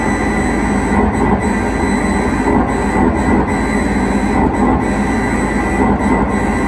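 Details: 1978 Bally Midway Space Invaders arcade machine with Braze kit: ROMs and RAMs pass the test but a bit fail shows, and the sound circuit gives a loud, harsh, unbroken roar with steady tones. Cause unknown.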